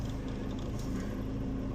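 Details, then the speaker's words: 1996 Honda Civic EK hatchback, freshly swapped JDM B20B non-VTEC with Integra GSR 5-speed manual, idling after a drive: low, even hum riding under the engine note, which the owner calls the input shaft gremlin and may fix with a new input shaft bearing; input shaft bearing hum. "You hear the uh input shaft? See how I just see how it's doing right now. That's the gremlin."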